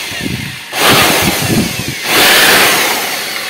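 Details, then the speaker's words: Bosch GBL550 blower, 10–15 years old, after maintenance and possibly oiling the noisy bearing: loud steady airflow rising in two bursts on trigger squeezes, no bearing rumble or squeal; runs clean. "Natalo ng lakas ng hangin yung ingay ng bearing."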